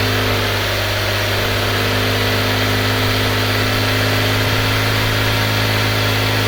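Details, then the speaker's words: Subaru EZ30D flat-six fitted with an EZ36R throttle-body/intake manifold adapter and a flashed ECU tune, on an unprepped cold start: a smooth, even idle with a steady low hum and no knocks, misses or hunting. Normal idle. "Idles well."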